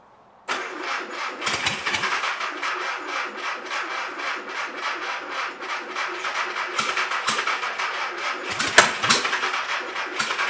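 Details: Engine for a 1959 VW ragtop (mystery VW motor, not the 36 hp) is cranked by a push-button starter with a hot wire to the coil, after reset open points and timing. Long uneven cranking bursts that catch but never settle; hard starting.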